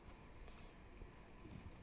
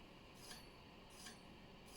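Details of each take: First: Bicycle hydraulic disc brake after straightening the bent rotor and centering it between the pads: soft low whir of spinning wheel, no scraping or rubbing. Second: Bicycle hydraulic disc brake: a light metallic scrape once per wheel turn, about every 0.75 s, from a bent rotor rubbing one pad. The fix is bending the rotor back.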